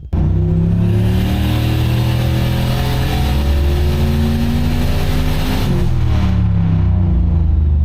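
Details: Turbo Oldsmobile on dyno with Holley Terminator X EFI, boost cut set around 15: deep steady roar climbing in pitch through the full-throttle pull, no cut or stumble, boost held cleanly.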